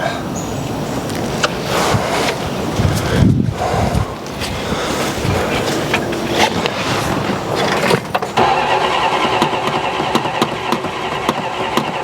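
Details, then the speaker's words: 1969 Dodge Coronet 440 that had sat for a while, carburetor suspected clogged after earlier backfiring flames out of the carb: steady cranking with occasional firing pops that never catch; seemingly getting spark and no carb blowback, but won't start. "Sounds like it's getting spark. Sounds better, too. It ain't it ain't freaking uh blowing back out of the carburetor."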